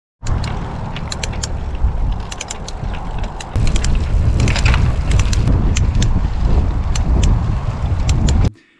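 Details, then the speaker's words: Triban RC520 road bike, about 3.5 years and 20,000 miles of year-round riding: sharp irregular clicks and creaks from the crank area over road and wind rumble while pedalling; owner 95% sure the Shimano threaded bottom bracket is the cause. "not very happy noises coming from the tri-band at the moment essentially there are three um possible reasons for the kind of noise in this area of the bike"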